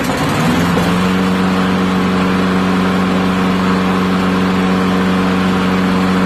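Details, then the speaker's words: Neglected old push mower catches after a few pulls after revival, then holds a loud, steady, even hum with no misses; oil to be added, owner says it still starves a little for fuel, assuming junk remains. "she runs look at that I'm gonna add some oil and give her a little test run"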